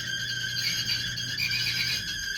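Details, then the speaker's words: Kenmore 700 series electric dryer, model 110.68132413: loud steady high-pitched squeal over motor hum as the drum turns; worn drum roller bearings, fixed by replacing six drum rollers and the idler pulley; lubing lasted only a day or two. "what I've got here is a really horrible squealing dryer a Clos dryer you can see just making God awful noise roller bearings are probably"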